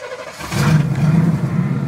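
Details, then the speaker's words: 1990 Chevy/GMC 2500 3/4-ton plow truck, 350 throttle body injection, OBD1, after fixing ECM power wiring for intermittent no-start: key turns, catches within half a second, steady even rumble, IAC holding idle, engine light out; normal start. "turn the key and she starts the nice thing is the IAC motor the idle air control is doing its job"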